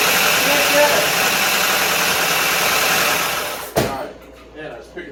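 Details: Dodge Dakota parts truck on its first start after a year and a half, oil not checked: fast diesel-like clatter of about three ticks a second over a rough idle before shutoff. Lifter clatter on startup; no oil pressure suspected.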